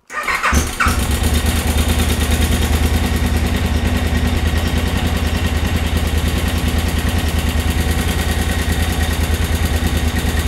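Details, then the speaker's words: 2003 KTM 950 Adventure (LC8 engine), recently serviced at a KTM dealer: after start-up a fast, even ticking rides over the idle and grows louder over time, clearly abnormal; timing chain rattle, later repaired. "je sais pas si tu entends le cliquettement qui augmente au fur et à mesure donc je sais pas en vidéo ce que ça va donner en réalité je te garantis que le bruit il est pas normal du tout"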